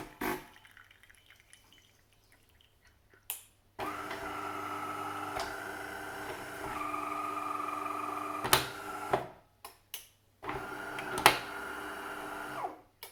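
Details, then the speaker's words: De'Longhi Caffè Corso ESAM2800 espresso machine after pump replacement (was buzzing loudly, not pumping): steady, even pump hum in two clean runs, no harsh buzzing; new pump working straight away. "Okay, so now time to try out our pump. There we go. Working straight off the bat."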